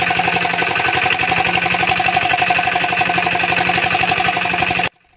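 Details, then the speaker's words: Single-cylinder diesel thumps evenly for five seconds, then dies abruptly; air got back into the fuel system, possibly via a dried-out filter, and must be bled again. "तो दोस्तों इसमें air फिर से fans चुका है फिर से हमें एयर निकलना पड़ेगा क्योंकि स्टार्ट तो हो रहा है पर स्टार्ट होने के बाद बंद हो गया है तो एयर फिर से निकलना पड़ेगा"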